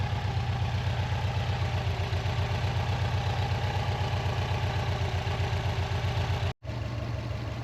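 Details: Non-AVCS JDM Subaru EJ205 boxer at warm idle, nearly up to temperature, after timing belt and water pump replacement that had caused loud metallic ticking: even low throb about four beats a second, no ticking; owner wonders if a tensioner was the cause.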